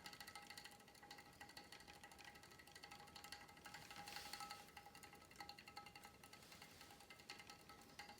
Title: Star Trac Spinner 7070 Rattle Noise (Chain Vibration) - video 2